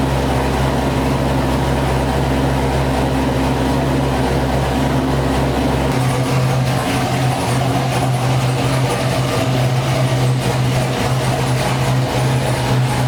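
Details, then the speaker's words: Chevrolet Corvette C6 V8 on its first start after failed lifter replacement: a steady, even idle with a smooth low drone and no ticking or knocking. It is warming past about 220°F, with air in the coolant; the valvetrain sounds healthy. "so everything seems good the car started to heat up a little bit got above uh 220 which i believe is a set point"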